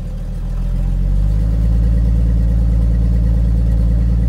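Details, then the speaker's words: 1982 Ford F150 at idle after a cold start on a 43°F February day, with a weak starter or battery suspected; loud, deep puffing at about four beats a second because the exhaust is broken right after the manifold: exhaust leak. "it's pretty loud in here the exhaust is broken right after the manifold"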